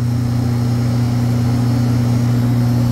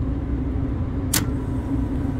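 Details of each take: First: Walk-in freezer condensing unit, three-phase at 207 V, compressor very hot: heavy steady low drone with a strong buzz above it, no cycling or relief; compressor humming hard under strain. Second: Walk-in freezer three-phase compressor, condenser fan motor back on, amp clamp fitted, at night: a steady low hum with an even mid-pitch drone and no knocking. Normal running after restart; a short cycle from low charge is suspected.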